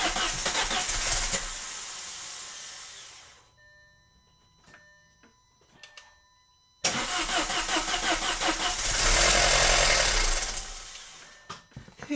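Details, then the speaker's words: Cheap Audi after repairs with Chinese parts, cam plate bolts reinstalled, cranked to build oil pressure with the fuel pump fuse pulled: steady cranking, then it catches cleanly anyway and settles to a smooth idle; normal crank and start. "Obviously, it started and I had the fuel pump fuse pulled and it started anyways, which is kind of a good sign. This thing actually wants to run."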